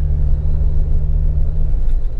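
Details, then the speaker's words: Jeep Wrangler driven over bumps after a fix for a squeak the owner thought most likely came from the rear tire carrier; only deep even road rumble, no squeak or chirp; the squeak seems fixed. "I really don't hear anything I don't want to get too excited yet I think I actually did fix it"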